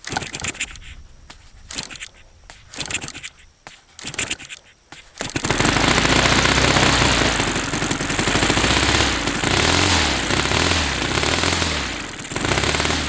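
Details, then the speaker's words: Saito FA-300T twin glow engine, cold start at low throttle on the original glow plugs, checked and glowing: lumpy uneven beat; running on one cylinder, cause unknown. "So I'm not sure why this cylinder wouldn't be running. This was the only one that was running."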